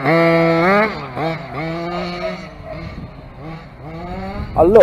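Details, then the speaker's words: Dragon Hammer V2 RC engine on its first run on flat grass, not yet properly tuned. A high-pitched buzz rises and falls with the throttle, soft and burbly at top revs; it is running rich at the top end and needs leaning. "You can hear it now, it's a bit rich now, you can hear it on the top end."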